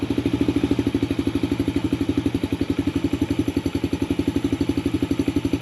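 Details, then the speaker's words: 2019 Yamaha TTR50 after fixing intermittent cutting out: steady, even single-cylinder putt at about four beats a second with no misses or stumbles; idling cleanly. "here we go problem fixed there now he won't be discouraged when he's riding it because he was getting pretty discouraged"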